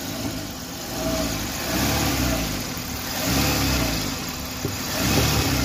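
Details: Old-model Maruti Suzuki Wagon R after reconnecting the detached pipe: engine revs rise and fall smoothly with a clean note, no hiss, whistle or rattle; noise fixed, sounds normal.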